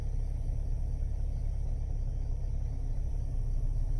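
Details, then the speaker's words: 2000 Jeep Grand Cherokee at idle after fan motor and radiator replacement, temp near 210: steady low whooshing roar, electric cooling fan kicking on with no rattle, tick or scrape; temperature now drops, previously kept climbing; normal fan operation. "I can hear the fan running let's watch what it does before the fan would run in it would just keep climbing because it wasn't spinning at the rate rpm"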